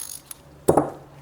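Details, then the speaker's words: Socket ratchet after being taken apart, cleaned and lightly greased: a few soft, light clicks with no gritty scraping or harsh snapping. Normal ratchet operation. "so I mean this one stayed I just I like this little click on this one but it's not loud"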